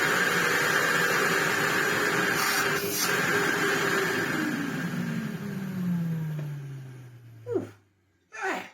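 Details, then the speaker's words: Sebo C2 Total bagless vacuum cleaner, speed control working, despite broken cord rewind and body: steady, even motor roar with strong airflow hiss, pitch slides down smoothly at switch-off; healthy motor. "It sounds fine. It's got fantastic airflow because, of course, it's bagless. And, yeah, it runs fantastically."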